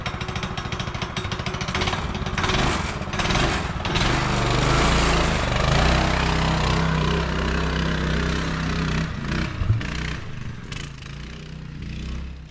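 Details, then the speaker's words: Child-size go-kart single-cylinder engine, after sitting for years, on driving test after new carb and throttle cable, adult driver aboard: pulls steadily, rising and easing with throttle, firm even beat, no misses or knocks; runs pretty good. "Well, it runs pretty good, so that's all I'm doing with it."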